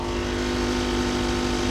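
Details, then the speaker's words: Engine bay of a car at a dealer auction, coolant spilled, engine covers missing: steady droning whine, likely the compressor, over a rough-running, unhealthy-sounding engine; source unconfirmed. "Oh, that sounds bad. That sounds bad."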